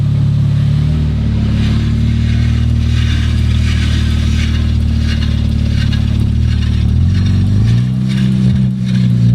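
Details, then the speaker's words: Rebuilt 2019 Audi RS5, in drive with the wheels spinning: steady low engine drone with smooth speed changes, no knocks or grinding; everything running as it should. Normal running in gear. "yeah that sounds good so far everything's looking like it's running how it should"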